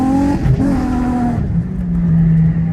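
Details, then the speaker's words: Drift car at a night drift event, just after a quick coil pack swap fixed misfires: engine revs cleanly with a smooth rising and falling note, no stumble or popping, some tire squeal; running properly. "I'm going up for my first run with the car actually running good right now, so I guess just wish me luck, guys."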